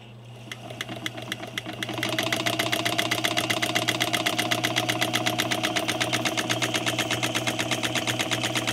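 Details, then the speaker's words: Sewing machine just unboxed after shipping damage, not yet serviced, motor giving off a smell: fast even needle clatter about four beats a second after a slow start, sounding labored and rough, not as it should. "it's definitely not sounding like it's supposed to be sounding right now uh and it hasn't been serviced yet"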